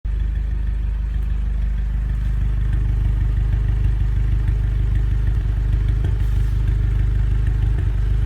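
A petrol engine idles with a deep, uneven beat and an occasional stumble, the sound of a misfire.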